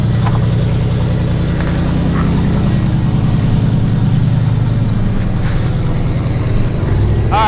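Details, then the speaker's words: Pontiac Firebird WS6 abandoned and parked 10 years, now running: deep, loud, rough rumble with a choppy low beat at idle, exhaust cut in half mid-car and dumping out the side. "I like the the exhaust is just cut in half right in the middle of the car it's like side dumped out of the side"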